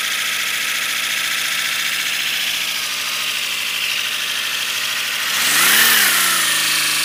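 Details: First-build 3D-printed PLA V12 model engine on compressed air, freshly lubricated, no exhaust port yet: fast, airy hissing chuff at a steady rate, then a quick rise and fall in pitch as pressure goes up; running freely.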